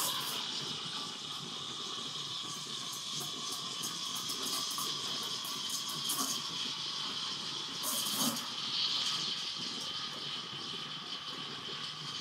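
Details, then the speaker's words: Gaggia Classic Evo Pro espresso machine steam wand after boiler heats to steam temperature; strong, steady hiss of dry steam with no sputter or pulsing, plenty of pressure; normal steam wand output. "you can hear the boiler calming up to temperature so it's going to start creating a lot of powerful steam out of this steam one which it certainly does oh yeah that's plenty of steam"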